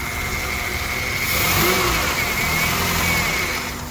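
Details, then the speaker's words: 1998 Honda Odyssey with swapped JDM F23A, first run: uneven, unsteady idle with a thin whistle, threatening to die; MAP sensor replaced without help, and idle improves when the MAP is unplugged; rough running and stalling, cause unclear. "she like dies and I've swapped out the map sensor thinking maybe it would run better or the map sensor was bad because when I disconnect the map it idles way better"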